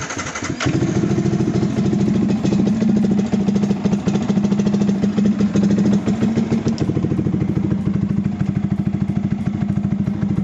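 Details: Fuel-injected motorcycle that is hard to start and stalls on throttle: single cylinder chuffs at a fast, uneven beat that stumbles and fades, typical of a clogged injector starving it; fix is cleaning the injector.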